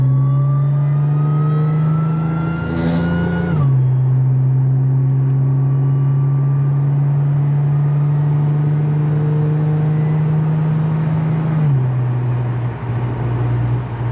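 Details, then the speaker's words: Audi S4 B8.5 driving after shop pressed in new wheel bearings (old ones shot, ~100k miles): engine pulls cleanly through two upshifts, steady low drone, no speed-linked growl or whirr; bearing noise gone, normal. "Yep, so it definitely was the wheel bearing. Oh yeah, that sound is gone."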